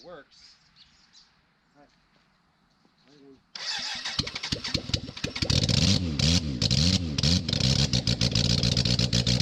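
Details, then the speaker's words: 1991 BMW K100 LT four-cylinder after the head was cleaned and reassembled, first run with no muffler or radiator fitted: it catches and settles into a loud, raw, steady run with throttle blips. It runs normally, just unmuffled. "[Music] now it runs now what"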